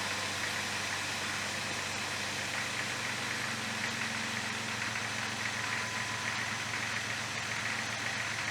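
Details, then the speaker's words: 2000 Jeep Grand Cherokee 4.0 Power Tech, 211,000 miles, after replacing the O2 sensors for a P0171 code, with the microphone placed at the engine. Steady, even, smooth idle with no misses or surging. "Plugged them in, fired it up. She runs good."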